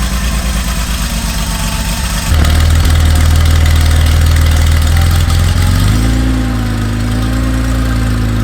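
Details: Garage-find Porsche 911 flat-six after sitting a long time, new OEM spark plug leads fitted, cranked first to build oil pressure then DME relay reconnected: starter churns evenly for two seconds, catches and settles into a steady, even idle with slight rev lift; healthy.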